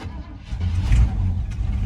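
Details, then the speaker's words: 1975 Chevy C10 V8 sitting since 2003, first run after 18 years of storage: low steady rumble idling on its own unassisted. "Look, it's running on its own. It's running on its own. It's running all on its own."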